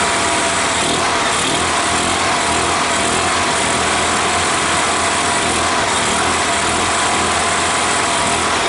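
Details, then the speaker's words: Robin ST350 single-cylinder engine in an EZGO Workhorse golf cart after carb cleaning and a starter change, cold start on choke: a steady, even, fast buzzing run with no misses or knocks; clean cold start. "sounds good doesn't it let me see how close it'll get to an idol"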